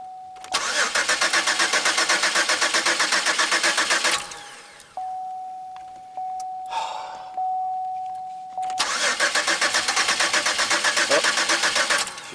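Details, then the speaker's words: Pontiac Aztek, start attempt after 8 months sitting in pieces, fuel pump primed and injectors heard resetting: starter cranks in quick even cycles about four per second, twice, never catches; owner fears fuel pump seized from sitting, crank no start. "okay here it goes nah not the way I was expecting boy I hope the fuel pump it and seize up from sitting so long"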